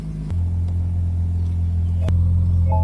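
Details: 2006 BMW 325xi E90 that would not crank or start, after checking fuses, battery and ECU power: starter engages at once, engine catches and holds a steady, even low hum; clean normal start.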